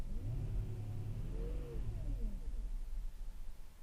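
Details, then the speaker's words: 1999 Audi A8 4.2 V8, codes cleared: idle far too low (about 500 rpm vs 700 expected), and on throttle it sags and stumbles, nearly dying before taking off; hesitation and near stall. "but obviously my Idol is way way lower than it should be and when I step on the gas car about dies first before taking off"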